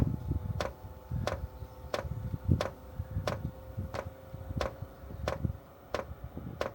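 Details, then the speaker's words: Chinese 12 V diesel heater being set up in a caravan, fed kerosene, priming by holding two panel buttons: crisp, even ticks about every two-thirds of a second over a quiet room; dosing pump priming normally. "There we go, so that's priming. You just hear that noise."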